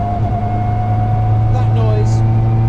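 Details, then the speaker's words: Caterham with limited-slip differential, heard over the occupants' shoulders: whine builds from about 55 mph and peaks around 60 mph under road noise; about seven out of ten for loudness, normal diff whine. "now this is a limited slip differential in this car and just as we approach 55 M hour we start to hear this wine coming in over our shoulders"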